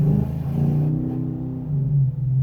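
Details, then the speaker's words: 2013 5.7 Hemi with headers and no catalytic converters, floored from a stop: deep, loud rumble swelling and dipping back and forth with revs, fading in third gear; loud noise under hard acceleration, owner suspects an exhaust leak. "get it why when I floor it and you can hear it it goes back and forth [Music] you can kind of hear it going back and forth"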